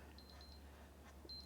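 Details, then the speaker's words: Cuisinart DGB-625BC Grind-and-Brew coffee maker: high, thin beeps in quick groups of four over a low mains hum as the grinder refuses to start; the warped lid doesn't close the safety switch button under the grinder cover. "it's a button on the grinder it won't let - it doesn't want you don't want that it doesn't want the grinder to start with it open in case you've had the lid off and you had your fingers in the grinder you know safety thing"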